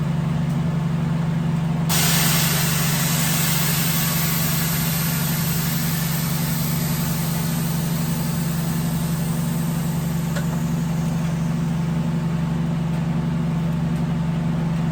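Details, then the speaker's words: Honda Civic idling in heavy rain after its air ride electrical issue was fixed, everything working: steady even hum, no misses or knocks, then switched off; healthy normal idle. "Back working. cranks, runs, air ride works, controller works, everything works."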